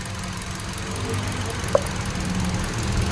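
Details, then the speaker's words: 2017 Hyundai Accent, new ignition coil fitted but misfire persists: low, slightly uneven petrol idle, number two cylinder has no spark/firing (no power at that coil). Single-cylinder misfire at idle. "nga oh walang firing ito yung sinabi ko SAO dati na huwag mong patagalin baka lumaki pa yung problema mo"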